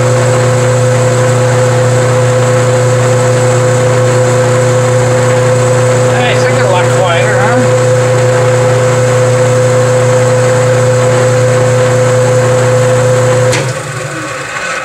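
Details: Powermatic 87 bandsaw, year unknown, running in neutral after the loose main drive pulley was refitted with set screws; steady even motor hum with a constant low tone, no knock or rattle before spooling down, drive runs smoothly.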